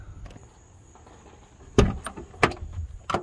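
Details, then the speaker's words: Jeep XJ door with the factory check arm pin, giving three sharp pops about two-thirds of a second apart as it swings. Over time the pin hole wears and enlarges so the pin no longer fits; the fix is replacing the check arm and bracket. "as you can see it pops and moves around because over time the hole that the pin goes through will wear and enlarge and doesn't fit properly anymore"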